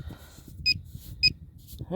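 Two sharp high beeps about half a second apart as the probe passes over a target; the pinpointer is picking up a buried coin.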